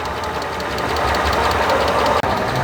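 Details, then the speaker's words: 1997 Mercedes SL600 V12 donor car with coil-on-plug ignition, started after sitting for years on fresh gas, idles with a slight, quick lifter tick over the hum; possibly misfiring, expected to quiet as it warms up. "sounds like it's got a slight lifter tick slight of course it has been sitting for a while so maybe it just needs to warm up and work its way out"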